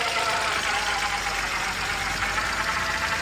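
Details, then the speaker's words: BMW 328i six idling just after first start following engine swap, with coolant leak and low power steering fluid noted: fast, even idle with busy top-end chatter, no miss or knock; engine running smooth. "Engine is running smooth."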